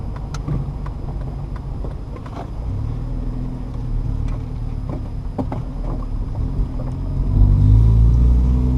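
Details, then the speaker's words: Manual-transmission upshift with throttle applied too early: engine revs flare before the clutch engages, which wears out the clutch. "So here I am pressing gas too early. Okay. You can hear the car kind of rev up when the clutch is not engaged. That's not what you want to do because that time you're wearing out the clutch."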